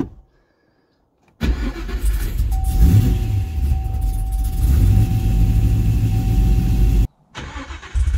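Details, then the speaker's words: Cadillac CTS-V V8 with cam, after fuel pump primed, just started off the trailer: smooth, even idle with a deep steady rumble and no lifter tick; good oil pressure, normal idle. "so sounds like the motor's got good oil pressure i don't hear any unhappy lifters or anything"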